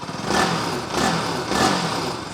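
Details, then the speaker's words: Bajaj Pulsar 200NS single-cylinder just after full engine rebuild and head fitting (valve clearance 0.06, inlet 0.05), first self-start: catches and blips throttle in short even crisp bursts, no knock or rattle; runs healthy. "First class एकदम हाय हाय क्या मस्त मक्खन sound"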